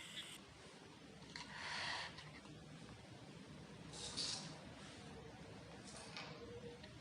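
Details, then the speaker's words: Relay in a drip-irrigation panel box driven by two water-sensor wires: it switches on when the wires go into water and off when they are pulled out. Three faint sharp clicks a couple of seconds apart over quiet room hiss; normal relay action. "इसको जैसे ही पानी के अंदर डालेंगे तो हमारा relay on हो जाएगा और जैसे ही बाहर निकालेंगे वैसे ऑफ हो जाएगा।"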